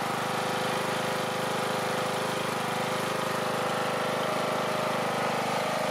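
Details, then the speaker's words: Small single running on 3D-printed TPU carb, fuel tank and valve cover gaskets with fresh gasoline and new cap: steady even putter, no misses, surges or knocks; sounds good, though a fuel-tank vacuum issue may only appear when driven. "what will happen is it'll stop giving it fuel because it's not it's not sucking in air behind it but it sounds pretty good to me"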